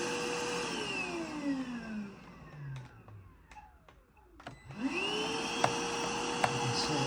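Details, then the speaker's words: iwoly C150 motorized vacuum floor brush before repair: motor whine sags and winds down with scattered clicks as the roller stalls, then spins back up; brush starts but won't turn, owner suspects it's jammed with hair. "it's clicking, but it's not rotating. So what we're going to do is we're going to take this roller out, this floor brush, and we will see what's happening with that. I'm thinking that it's just full of hair and it's just caught up."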